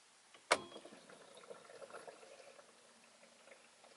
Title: Skoda Octavia mk3.5 1.6 CR TDI SCR - weird noise before cold start